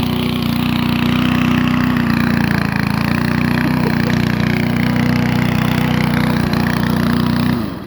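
Small mower engine runs with a smooth, even beat for several seconds before shutting off; it sounds healthy.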